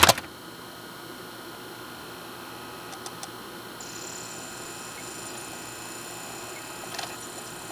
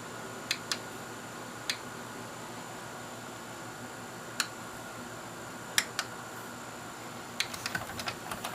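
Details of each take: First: Sylvania DVD/VHS combo, disc loading after a settings change: soft even whir as disc spins up with a couple faint ticks; previously popped and ticked trying to focus, now focusing and reading normally. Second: Sylvania DVD/VHS combo switched to DVD and played: sharp scattered clicks and ticks over faint fan hiss as the disc lens hunts for focus; lens clicking while focusing.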